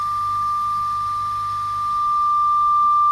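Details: Hand-wired Vox AC15 HW valve amp, nothing plugged in: steady high whistle near one kilohertz over faint hum, a microphonic first-stage preamp tube (vintage 12AX7/5751 tried) oscillating on its own; EL84s then replaced with a new set.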